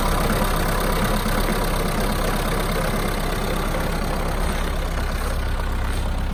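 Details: Mahindra Roxor diesel just after a cold start in winter (about 15°F expected): heavy clatter with an uneven, lumpy beat, idling rough and missing; runs rough for one to two minutes, then settles out.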